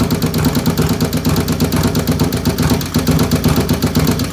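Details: 95-inch V-twin with 510 cams: lumpy idle with a sharp, light tick repeating a few times a second over the exhaust beat; source of the nasty ticking unknown.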